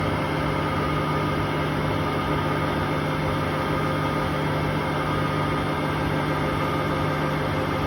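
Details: Hotpoint Aquarius WMA58 washing machine spinning at 1400 rpm: a loud, steady rumbling roar with a low hum, from worn drum bearings.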